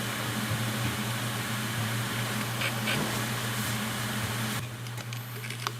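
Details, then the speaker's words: 2008 Hitachi Ultrastar 1TB hard drive with a bearing problem, run opened in a laminar-flow chamber: steady low hum with uneven rapid ticking about four times a second on a rough spin-up, from damaged spindle bearing. "To nie brzmiało zbyt dobrze więc dysk jeszcze raz otworzyłem żeby sprawdzić czy nie robię Czasem zniszczeń"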